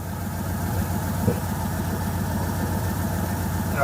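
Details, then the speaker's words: 1996 Ford F150 whose injector wires under the air plenum were chewed by rodents while parked in a barn: low, lumpy V8 idle popping every so often on that side, stumbling uneven beat; misfire from the damaged injector wiring, pigtails to be replaced. "they mess with this side over here hear it popping every once in a while something ain't right it ain't happy"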